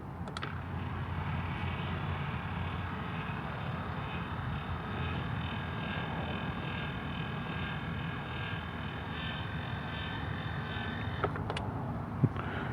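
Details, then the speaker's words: Chamberlain LiftMaster LA400 gate operator after repair with new motor kit and control board, running each way while setting limits, limit light flashing; even steady motor hum with relay click at start and stop: normal operation. "so set limit and get a flashing oh looky there it works that way let's go the other way works that way too so that's awesome"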